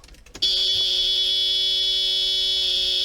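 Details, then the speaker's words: Mercedes 500E W124 first engine start, fuel system fully depressurized, replacement used fuel pump fitted after leak: steady high buzz starts abruptly and holds evenly then shuts off; fuel pump priming normally at key-on. "palm comes on and shuts off all right let's start it up let's see what happens"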